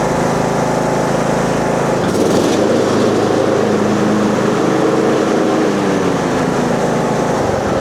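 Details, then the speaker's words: Husqvarna 42-inch riding mower deck after replacing the spindle and pulleys: steady, even small-engine drone with no knocking; some shaking is normal, deck no longer loose, running normally. "Okay, as you see, it's shaking, but it's normal. It's supposed to be like that. At least now it works good and it's not loose."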